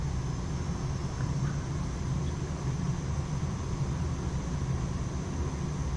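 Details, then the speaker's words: Boiler heating system found almost empty and refilled, cold water dropping pressure, burner firing to reheat and raise pressure: steady low even burner roar, no banging, surging or whistling; normal burner operation. "when I added that water in it brought the pressure back down cuz it kind of brought cold water back in so now it's kicking it on it's heating it up"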